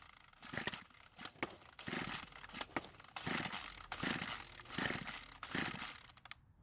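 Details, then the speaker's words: Craftsman string trimmer with unknown fuel in the tank, after purging air: about six rasping pull-rope attempts, each with a brief whirr of the engine turning over, but it never runs; it tried, suggesting ignition works and there is some compression. "now even though it didn't start and run it did at least try that would confirm that the ignition system is working somewhat and that the engine does seem to have some compression"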